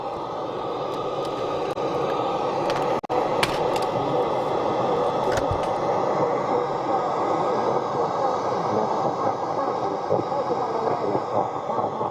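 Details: Sony CRF-5090 Earth Orbiter receiver, bought as a non-worker and never serviced, on the FM band: a steady garbled hiss of several stations mashed together with no clean station. Very distorted; the cause is unknown, and a recap is suggested.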